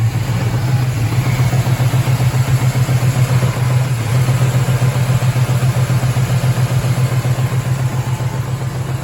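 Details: 2004 single-cab truck V6 found overfilled with oil: at idle a regular deep knock about four per second through the low engine drone; rod knock or torque converter bolts suspected, not confirmed. Engine knock.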